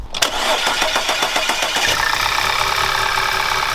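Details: 2011 Audi A4 turbo with check engine light and oil burning from the valve cover, cranking briefly then catching into a ragged, stumbling idle. Misfire at start-up; a coil pack is suspected, rod knock feared, not confirmed.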